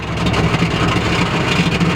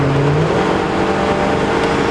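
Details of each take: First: Chrysler Cordoba V8 sleeper: the exhaust popped and broke at the top of first gear at full throttle while running through the gears, and is now dragging the ground. A loud, rough, low rumble with a raspy blowing edge replaces the previously too-quiet exhaust; exhaust leak. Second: Chrysler Cordoba sleeper, first drive after fixing its overheating with a new thermostat: a soft, steady engine hum under way with no blowing, ticking or rattling, the exhaust intact and very quiet.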